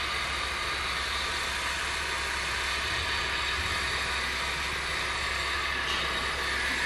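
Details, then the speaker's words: Honda at idle: constant dry, gritty whirring hiss over the engine from the accessory belt area; worn water pump bearing and auto belt tensioner bearing. "सबसे पहले इसका जो water pump है उसका बैरिंग आवाज़ कर रहा है, इसके साथ साथ इसका जो ऑटो टेंशनर है उसका भी बैरिंग आवाज़ कर रहा है।"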